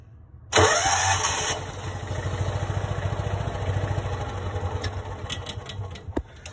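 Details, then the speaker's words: Kawasaki FE290D in John Deere Gator: quick crank, fires and runs with uneven beat about three a second, then dies; loses spark, backfires, fuel ruled out; failing ignition coil. "i'm going to crank it and it'll lose fire and die and it'll recrank it'll have fire and die"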